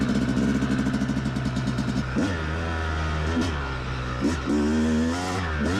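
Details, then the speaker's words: Yamaha YZ250X two-stroke after fixing its sticky power valve, started from dead cold on choke and riding: crisp buzz climbing cleanly through revs and shifts, no bogging or flat spots; normal running, issue solved. "uh and right away i can tell that i've solved my issue and this is gonna be a great day"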